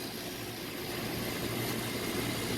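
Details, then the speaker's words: Carrier rooftop package unit, not cooling because of a tripped breaker, after the relay was checked and the blower motor rewired: steady, even fan rush with a low constant hum, no rubbing or screeching. The blower runs normally, drawing 1.6 amps, with a slightly loose belt. "let's power it on and see if that blower comes on there's our blower"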